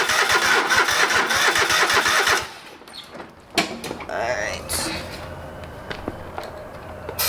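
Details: Old lawn mower's small engine just after a carburetor rebuild, with the bowl needing to fill with fuel. Steady rhythmic cranking chugs at about three per second drag on before the engine barely catches. It fired, but not right up. Hard starting.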